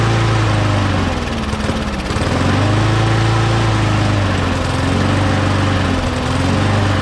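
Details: Mower engine after parts were blown out with compressed air and refitted, primed three times: buzzy single-cylinder beat, speed drifting gently under load; runs normally, though the primer still isn't priming.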